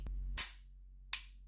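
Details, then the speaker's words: Tisas 1911 Carry DS dry-fire: a sharp click, then a faint second click; the protruding overtravel screw catches in the magazine release's semicircular cutout, so the trigger fails to reset cleanly. "did you hear that second click trigger pulled little extra"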